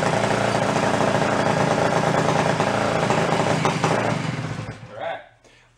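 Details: 1961 Centaur 49cc folding suitcase scooter two-stroke, stored 40–50 years, choke off: busy, even buzz holding steady several seconds before shutoff. Normal running.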